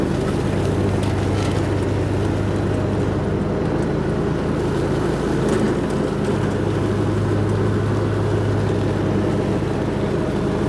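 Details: Hustler Raptor SD zero-turn mower, which kept throwing its deck and hydro belts, running after a deck and spindle rebuild: a steady, even drone with a smooth low rumble, no misses or knocks, some wind. It runs healthy.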